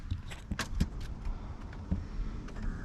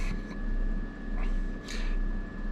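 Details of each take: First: 1990 Chevy R3500 squarebody crew cab dually after installing a new aluminum radiator with electric fans on temporary wiring: clicks, then a rising whir settling into a steady hum as both fans start and run properly, switched via the HVAC switch. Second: 1990 Chevy R3500 squarebody dually, new budget aluminum radiator with twin electric fans and shroud: steady low fan drone with a slow wo-wo swell about every 0.7 seconds; owner suspects one fan may be out of balance.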